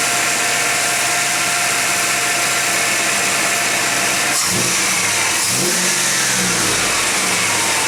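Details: Warm 1991 GMC Jimmy at 55°F ambient sits at a steady high idle, takes two quick throttle blips, then settles back high. A flammable-spray test found no vacuum leak. Owner suspects a faulty sensor. Cause unknown.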